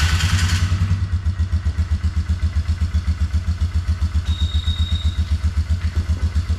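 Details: 2004 Polaris Trail Boss 330 single-cylinder ATV, auction buy with water in fuel, after transmission repair for no reverse, temporary longer Sportsman air tube: steady heavy chug about 2.5 beats per second, settled and even; normal idle.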